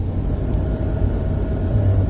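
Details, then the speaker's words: 1987 Mercedes 560SL R107 with no blower operation, 12 volts applied directly to pin 6 of the connector: steady, even low whoosh and hum, blower motor running freely at full speed; fault traced to the push button control unit. "And if we can hear that, but we do have a blower motor going full speed, so that gives me indication that all of this is working, but we have a failure in the push button control unit."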